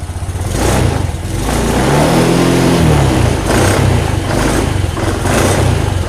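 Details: Honda Beat Deluxe scooter restarted after stalling in about 40 cm of floodwater (coil-to-plug wire suspected): fires up and pulls through quick revs that rise and fall cleanly, no misses or stumbles; running properly.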